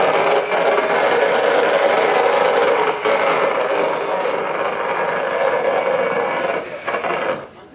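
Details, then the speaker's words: Transformer recorded again months later with denser crackling, more frequent sharp pops and a richer hiss that drops off and returns; intensity shifted between July and September, possibly load-related, indicating worsening internal structural movement and accelerated degradation. "back doesn't S right does it a lot more Pops a lot richer tone and you heard it drop off and then pick back up so it's getting worse"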